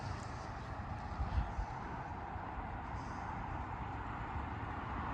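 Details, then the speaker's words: Land Rover Discovery Sport HSE diesel with a new turbo on a yard and road test: low, steady drone with an even note and no knock at low speed, gearbox smooth; normal running. "nice to uh ear it not knocking very nice"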